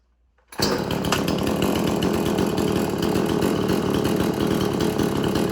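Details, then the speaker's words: Extreme Power 8200 XP two-stroke chainsaw, chain freshly sharpened, still cold to slightly warm; it idles faster when hot. Fires up quickly and settles into a steady, slightly slow buzzing idle with no stumbling: normal idle. "but it was just cold that's reason why because it does that when it's cold but it is a little warm but it will get hot and idle a bit more fast a little bit faster when it's hot"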